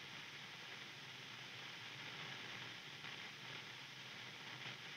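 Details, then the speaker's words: Overdriven guitar amplifier switched on, no playing: soft steady hiss with no hum or crackle; normal background noise for an overdriven amp. "Listen, this is its noise which is normal for this amplifier overdriven amplifiers like to make noise they"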